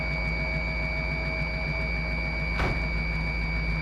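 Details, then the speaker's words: 1955 Willys wagon after carburetor work, first start to drive: running much better but steady high whistle over rough idle, origin unclear; owner suspects a vacuum leak. "Well, it's running a lot better, but I'm not sure what that noise is. I don't know if we got a vacuum leak or something."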